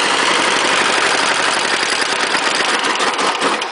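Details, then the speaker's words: 418cc Chinese single-cylinder direct-injection diesel, temporarily on a snow thrower, pull-started using the decompression lever in warmer air: fires easily and settles into a busy, rapid, steady clatter at about four beats a second; healthy. "oh it actually starts pretty good when it's warmer"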